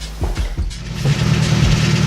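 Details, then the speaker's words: Nissan 240SX S14 engine running with a few knocks, then a steady groaning squeal from the power steering pump with almost no fluid, before a flush and refill with ATF. "is what I was talking about do you hear that squeal cuz I have no power steering fluid so I need to get that worked out"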